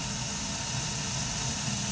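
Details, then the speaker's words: Burnham ES2 gas boiler after spark ignition and proven flame, main gas on: steady, even rushing roar with soft hiss, no popping or rumble; flame current 13–16 µA, burner firing cleanly. "so there was a spark igniting and when the flame is proven the main gasp now will turn on and you have the boiler running"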